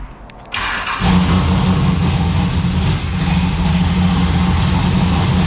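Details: Turbocharged V6 Ecotec drift car on one of its first runs: engine catches and settles into a lumpy idle with a tinny buzzing rattle from a loose exhaust part, traced to either the Y-pipe or the rear exhaust section.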